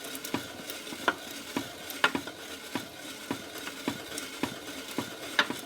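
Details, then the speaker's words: 1947 Harley EL 74ci knucklehead bottom-end bearing lapped by hand with fresh grit; gritty, uneven scraping strokes roughly once a second; the fresh lapping compound is still cutting hard. "okay so now we got some fresh Grid in there run it through some on this way you can hear it in working a little"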